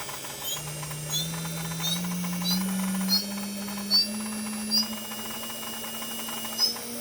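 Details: JGL ATC spindle, warmed up: spindle tone climbs with speed while a separate squishing chirp repeats about once a second and reportedly does not change with RPM; cause unidentified.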